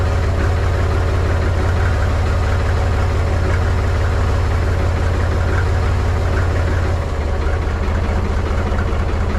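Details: Mahindra 3525 diesel tractor, cold start at 19°F after sitting about a month and a half, battery a little low: heavy, uneven chug at about three to four beats a second, low and lumpy, settling slightly; a rough cold idle that smoothed out minutes later.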